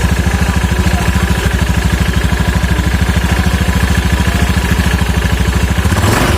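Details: Scooter after CVT reassembly, previously noisy and rough from damaged rollers: single-cylinder idles with even thump about three per second, no rattle or grind from the belt drive; normal CVT idle.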